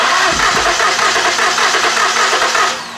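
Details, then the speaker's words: 2013 Ford Taurus 3.5 V6 compression test before water pump replacement, fuel pump fuse removed: steady, even starter churn with regular compression pulses about three per second, no skips; cylinders read about 120–130 psi, slightly low but acceptable. "okay you got good compression 125 that's what we got on this one it's a little bit low but it's still good"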